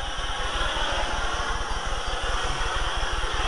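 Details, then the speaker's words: Acetylene torch converted to propane with Gentec KA-51-TCPW kit and Victor 0-size propane cutting tip; oxygen added to a level flame gives a steady even hiss, no popping; normal oxy-propane cutting flame. "and then add your oxygen and you'll hear the difference as it comes down through and you'll hear that hissing noise"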